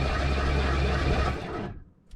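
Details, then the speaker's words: Ford F150 (automatic): loud steady starter whir with no engine turnover, then it cuts off; starter spins without cranking; owner suspects torque converter bolts or flex plate came off, earlier grinding noise; not confirmed. "So, because to me it almost sounds like this starter is trying to engage, but it's not, there's nothing left to engage there anymore."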